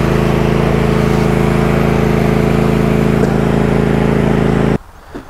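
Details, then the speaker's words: Cub Cadet GT2 LX42 lawn tractor, 22 hp, after new ignition coils and fresh fuel, previously surging, hard starting and cutting out: smooth, even engine drone with steady beat and no stumbling; one old coil was partly shorted. "just to show you that she's running properly now no more weird cutting out"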